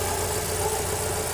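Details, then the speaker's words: VW Voyage 1.0 with EA111 engine, after replacing the oil pump to cure a noise from the oil pump area: even, quiet idle with a steady low hum, no rattle or whirring from the engine front; problem solved. "beleza como a Viradinha funcionando perfeitamente e sem barulho nenhum"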